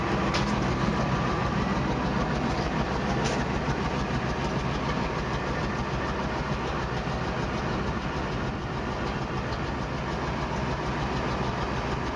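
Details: Engine running steady with a fast, loosely regular ticking puff at about three per second from a newly appeared exhaust leak; exhaust leak.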